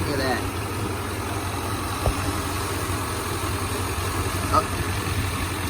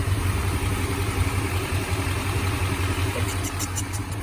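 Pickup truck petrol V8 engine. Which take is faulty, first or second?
second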